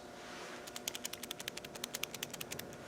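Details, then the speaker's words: Land Rover Defender 110 alternator rear bearing, removed during rebuild (worn brushes, dirty rectifier pack), spun by hand: dry rattly clicking, about nine sharp ticks a second; dry, rough bearing, replaced. "that's how dry that bearing is so it was a good call to get them to do it"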